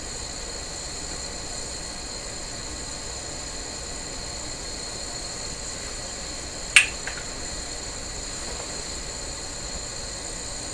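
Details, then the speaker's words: Sparton 1567 tube radio, during replacement of RF front-end capacitors: a coil sings a thin, steady high-pitched tone with one sharp click. Heavy current through it is suspected, not confirmed. "okay so this coil is just singing a big tune here why why why is this guy just going to town you know that suggested a heavy current going through it"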